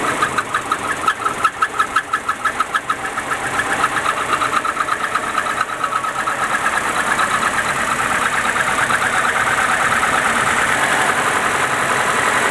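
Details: Nissan 200SX engine knock at idle: sharp ticking top-end knock about three per second, fading into engine noise as revs settle; owner suspects VVT, cams or spray bar, cause unclear.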